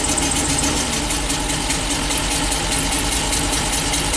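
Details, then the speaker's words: 2012 Ford E450 bus, V10 replacement engine, under load with ignition coils pulled one at a time: uneven, lumpy idle with irregular stumble; cylinders 8 and 9 dead, 5 now disabled, 10 recovered; misfire. "It's definitely running worse since number 5 is now not contributing."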